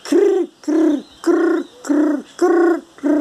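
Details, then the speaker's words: Washing machine that seems fine on spin gives a mid-pitched squeal on each agitation stroke during the wash, about 100 a minute, sometimes faint, then louder. "chorinho né vamos ver se eu posso mostrar mais ou menos como que funciona esse chorinho com esse barulho esquisito que a máquina faz"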